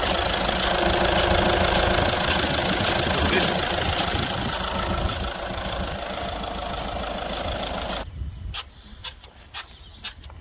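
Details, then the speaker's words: 2014 Skoda Superb 1.6 diesel: running with a fast even chattering rattle, roughly three a second, from the turbo wastegate actuator on top of the turbo at the back of the engine; broken actuator, being replaced. "The reason I'm changing it, so once you start you can hear this noise."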